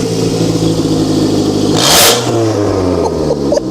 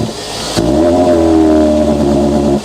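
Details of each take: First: Car from DriveTribe with melted, collapsed catalytic converter, exhaust opened up and Lambda sensor unplugged: sharp blips rise and fall quickly with no bogging; engine now revs freely and runs really nicely. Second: Car with loud intake noise, airbox possibly hanging off, throttle held: revs climb then hit a flat ceiling around 3 (thousand rpm) and hang with a strained drone until released; fine at low revs but bogs and won't rev higher, cause unconfirmed.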